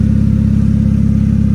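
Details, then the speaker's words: Car idling, listened to from the side and underneath: fast sharp puffing tick over the idle note, heard only at the front, not the tailpipe; exhaust leak, probably the flex pipe. "now i don't hear the noise over here i hear it all on the in front so it's probably the flex pipe"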